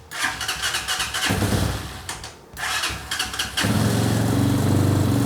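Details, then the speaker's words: Carbureted Hawk 250 motorcycle, crashed and sat a year, starting after choke adjusted (suspected cause of no-start): cranking bursts, then catches into a slow, uneven single-cylinder idle, running rough with very low idle speed. "It runs! Horribly, but it runs. I'm pretty sure it's idling at like 12 RPM, which is just a smidgen low for a motorcycle."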